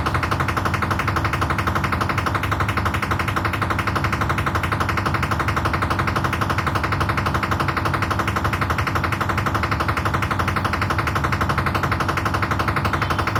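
Loud, steady hammering about three blows a second, very even, over the drum's hum: the washer is banging, cause not yet clear.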